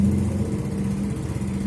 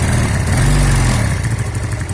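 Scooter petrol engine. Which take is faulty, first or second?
second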